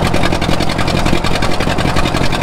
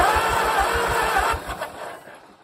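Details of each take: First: 1934 Allis Chalmers Model M crawler, 300 cubic inch four-cylinder, 85 years old, long unused; loud open even chuffing, steady firing rhythm, no knocks or misses; runs pretty good without muffler, only the right track clutch apparently not releasing. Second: 1934 Allis Chalmers Model M crawler, 300 cu in four-cylinder, first start attempt in over a decade. Quick, even cranking with good compression pulses, spinning freely, but no firing, then it winds down. It cranks but won't start; it lacks spark from the coil.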